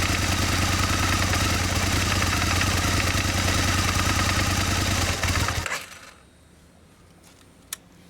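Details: Aprilia Mille R V-twin at first startup, running then shutting off: steady light ticking and knocking, fast and even at about three per second; cause unclear.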